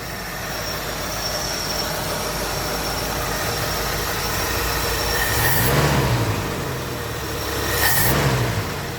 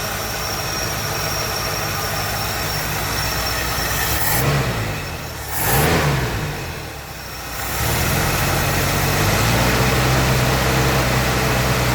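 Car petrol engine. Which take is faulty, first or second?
second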